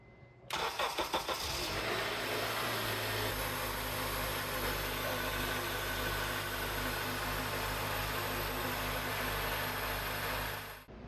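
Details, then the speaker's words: 2004 Honda Accord after serpentine belt replacement (Bando 7PK1781): quick crank, the engine catches, then settles into a smooth, steady idle with no squeal or chirp from the belt, sounding normal. "the last thing we want to do is start the car and make sure the belt sounds good so I'm going to go ahead and do that"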